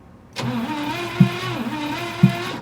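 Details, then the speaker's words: 1962 Cadillac Sedan DeVille parked over 30 years, cranking during a compression test (about 45–60 psi): steady cranking drone broken by a heavy thump about once a second; unexplained knock while turning over. "you guys hear that that knocking that bo bo what is that"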